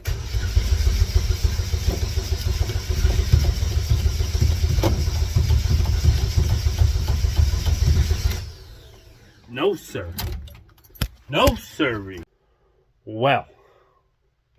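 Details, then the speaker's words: Race car after fuel cell and pump install: starter cranks steadily about three turns a second for eight seconds, engine never fires; fuel pump found installed backwards, pumping the wrong way, terminals to be swapped. "turns out these here terminals need to be on the other end of her so we got the pump in backwards so it's pumping the wrong way"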